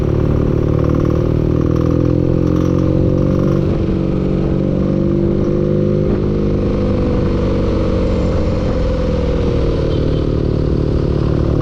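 Steady engine drone with a faint irregular clatter riding over it as revs shift; a knock with the cause unknown.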